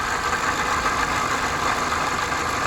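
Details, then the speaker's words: 2008 Toyota Corolla LE, 114k miles, at idle: constant rough grinding with a faint whine, steady and not tied to firing. The noise stops with the belt removed, so it is on the accessory drive. Finding: worn water pump bearing and belt tensioner. "yeah, that's a problem. So that's the reason it was so cheap is the appraiser marked it with a a loud engine grinding. But if you take the belt off, the engine sounds like this. So, whatever the noise is, it's definitely something on the accessory drive."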